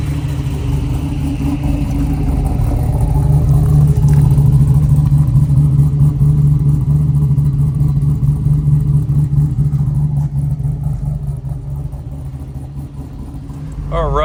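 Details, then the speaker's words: 1968 Camaro Pro Touring, supercharged LS3 V8, cold start at about 30 degrees outside: deep, loud idle with steady, slightly choppy cam lope settling evenly; normal and healthy. "It's a cold start. It's only about 30 degrees outside, so you can hear how she sounds. Does have a little bit of a choppy cam."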